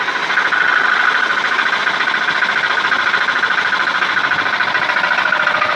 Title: Стук в двигателе Dodge, Chrysler 2,4L , стук приводной пластины (маховика)